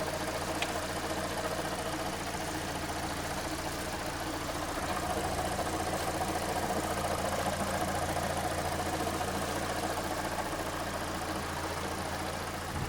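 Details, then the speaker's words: 2015 Hyundai/Kia with G4NA engine, 135,000 km, one owner, idling: steady rough drone with uneven knock-like chatter from the manual gearbox drowning out the engine; loud gearbox noise. "Ну короче звук коробки перекрывает звук мотора ПС конечно обидно Не слышно ничего"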